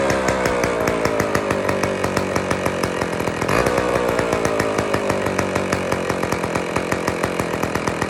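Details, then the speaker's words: IEL Pioneer HM chainsaw, old two-stroke, first run after fuel-system priming: steady buzzy run with even firing pops; running fine, carburettor slightly out of tune and needs fine adjusting. "That's it. We need to do some fine carb adjusting, but we won."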